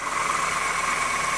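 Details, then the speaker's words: 2008 Honda New Civic, cold engine at low idle: steady high bell-like whine over idle that doesn't diminish when belt is moved or tensioned; accessory belt tensioner already replaced twice. "e a gente já percebe que o que que o barulho não diminui né"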